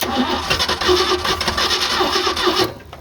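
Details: 1986 Ford F250 first start after revival: engine cranks, catches and runs rough for a couple of seconds, then dies abruptly; stalls right after starting while cold, cause unknown.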